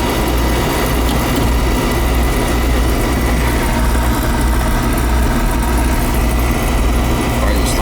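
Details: Oil furnace burner after new nozzle, cleaned head and new filter: even, steady roar with no pulsing or sputter; clean stable flame, normal burner operation.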